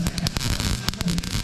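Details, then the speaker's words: Welding over-fenders onto a BMW E30: a harsh, uneven crackle and popping with irregular sharp bursts like frying bacon, instead of a steady arc. The weld isn't working. "it's supposed to sound like you're cooking eggs no it's not it sounds like you're fried bacon [Music] this ain't working"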